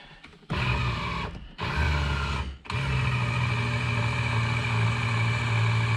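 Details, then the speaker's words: 1985 Porsche 928S project car, electrical check: short bursts of loud buzzing motor hum, then a steady run without grinding as the power mirrors are adjusted; loud but working normally. "well that's loud but it's working"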